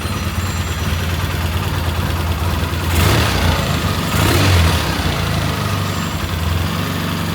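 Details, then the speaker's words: 1977 Triumph T140V motorcycle just started after kicks: even low twin-cylinder idle beat with two quick throttle blips rising cleanly and settling back to steady idle; idle sounds good. "He kicked it a few times and there you go. It even sounds good. Idle's good."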